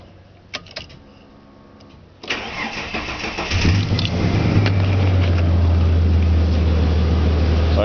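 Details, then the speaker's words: 1992 Ford EB Falcon series 2, 4-litre straight six, cold start after two weeks: steady cranking about four beats a second, then catches into smooth idle; starter overrunning clutch noisy but works. "the um the Free Run clutch on the starter mode is a little bit noisy but it works all"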